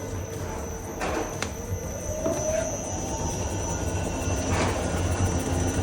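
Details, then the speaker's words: Volkswagen Touareg on a shaker rig: sharp, irregular knocks over a steady rumble from newly fitted but wrong-size anti-roll bar bushings; stabilizer bar itself worn, new bar and bushings needed, lower arms and tie-rod ends already new. "Размер не подобран. И вот они стучат сильно."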